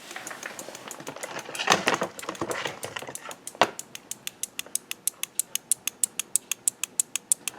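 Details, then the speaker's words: Husqvarna AutoTune chainsaw on CST diagnostics: light sharp ticks about three a second in a steady even pattern, the solenoid-operated fuel valve cycling normally. "that's that little solenoid operated fuel valve going through its normal cycle now when you look at those numbers you hear that thing click let's listen to it for a second"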